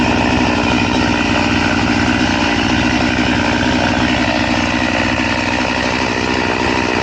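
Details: Chain filed to 10 degrees, long crosscut: a steady, even saw drone holds with no bogging. It cuts smoothly, without the pull or jerk of full chisel chain, but very, very slowly, so it is not recommended.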